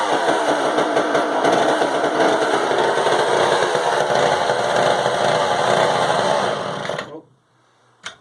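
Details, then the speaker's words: Frounteir Mark 1 chainsaw, a Husqvarna 35 look-alike, project saw; small two-stroke buzzing steadily for several seconds, then cut off; it runs, though a dirty carb is suspected; running chainsaw. "But anyways, there's potential there. You can see it runs."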